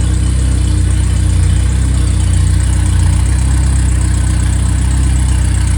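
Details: Freshly rebuilt 1500 engine (Triumph Spitfire/MG Midget, FP22382UE; 9.5:1, 270 cam, balanced) settling to hot idle: steady, even low rumble with no knocks or ticks; oil pressure 28–30 psi at idle; normal idle.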